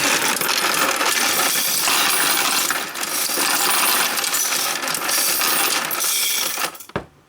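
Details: Royal Sovereign FS-44P coin sorter fed coins gradually into tubes with preformed wrappers: a constant bright rattle of coins for about seven seconds, then a clean stop; it runs normally and counts accurately.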